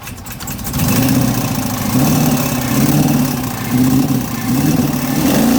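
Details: 2016 Chevrolet Camaro LT1 V8, out of warranty, started with flashing engine light and sudden rough running while driving. Struggles to start, then lumpy, surging, choppy idle with uneven beat; owner first suspected bad gas. Cause: cracked valve spring, reportedly from factory.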